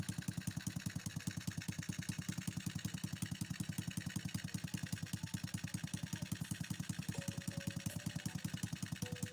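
Single cylinder idling with quick even pulses, but now and then a beat stumbles; intermittent misfire traced to a loose CDI connector.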